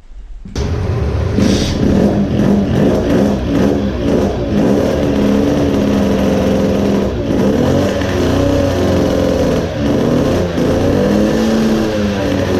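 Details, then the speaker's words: Two-stroke moped engine (about 20 hp) with programmable CDI, chasing a power loss; smaller main jet fitted but barely helped; revs rise unevenly with a choked, blubbering stutter as the engine suffocates from fuel; rich mixture sputter. "this is how it sounds like when an engine suffocates from fuel smaller main jet did not help much repeating."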